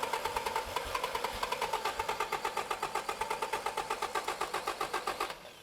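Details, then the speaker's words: Toyota 22RE engine in a Hendrix X-Chassis buggy with an all-new fuel system: steady starter chug, about four turns a second, that never catches. Cranks fine but won't start because the replacement pump lacked the right fuel-pressure output. "But turns out that the replacement pump, which didn't have the right output uh fuel pressure, so the engine wouldn't start."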